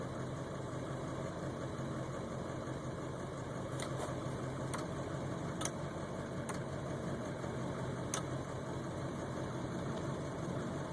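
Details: Ford 7.3 Powerstroke diesel idling high and uneven, with faint irregular ticks over the clatter; a fuel filter change and additive helped only briefly, and the owner suspects the ICP sensor or FPR; rough high idle.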